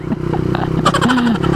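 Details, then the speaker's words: Honda CBR150R whose muffler silencer insert fell out during a ride the night before: loud raspy popping exhaust with sharp blips as the throttle opens. "Hala Napansin niyo po Guys parang maingay na si blue Meron pala siyang ano Silencer yung tambotso ni Blue kagabi ko lang nalaman eh"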